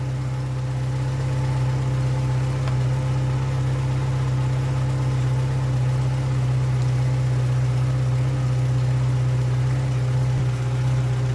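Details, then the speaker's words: Old VW Polo engine after oil change to 15W-40 and engine cosmetic work, oil not yet run in: smooth, even low idle hum at constant pitch, no ticking or stumbling; idles cleanly again. "aber er klingt wieder richtig gut"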